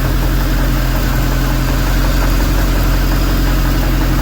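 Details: 2006 StarCraft C-Star 1700 Sport with a Volvo Penta 3.0 GLP-D and a Holley two-barrel carb, run at home after the fuel pump, carburetor and starter were replaced. A deep, even rumble at one steady speed without misses or knocks; a smooth, healthy idle.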